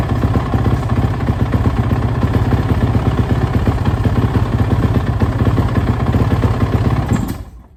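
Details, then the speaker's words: Suzuki RMZ450 single-cylinder dirt bike, first start after major head rebuild (valve dropped previously), on choke with idle turned up: uneven stumbling thumping, RPM jumping erratically, dies; owner suspects lean condition as head was glowing. "it sounds like it's running really crap though as you probably said it's really like the RPMs are jumping all over the place it's real erratic um it sounds to me like a lean condition"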